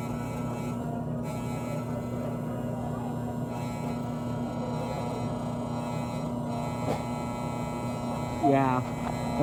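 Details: Air conditioner condensing unit running and cooling: steady low electrical buzz under quiet run, no rhythm change; pressing down stops it; owner suspects fan motor or loose front grille/cover, not confirmed, unit later shut off.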